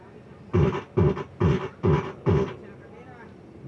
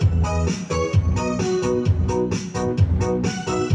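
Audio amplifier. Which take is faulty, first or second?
first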